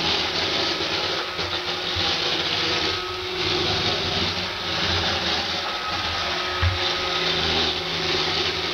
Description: This video demonstrates how noisy my Roomba 560 is on hardwood floors, it is quiet on carpet.